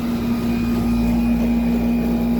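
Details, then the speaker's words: 1995 Tempstar 5000 air conditioner condenser after 10–15 minutes of running at its first 2025 startup, vent air about 61°F: steady low hum at constant tone with smooth fan rush, no rattles or surging; running normally. "Sounds good. This thing's a solid unit. Just keeps on going."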